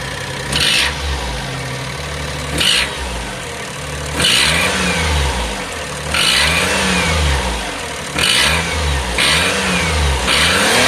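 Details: 2005 (H17) Daihatsu Atrai Wagon Custom Turbo R S320G, 170,000+ km: sharp hissing puff rising and falling with each throttle blip; fades once warm, returns after restart. Exhaust leak at broken exhaust manifold bolt.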